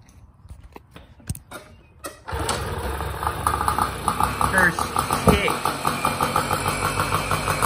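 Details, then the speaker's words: 2002 Tomos Targa moped, two-stroke 835 engine, about 320 miles, after fixing flooding float: a few kick clatters, then catches on the first kick and settles into a steady, even putter; normal start. "look at that first kick i barely even take that thing look at that all right well now that we know that it runs pretty good"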